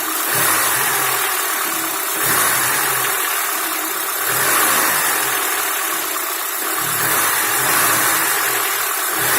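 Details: Lada Niva petrol engine idling with slow surges and a faint metallic knock under the note; engine knock, cause not yet clear.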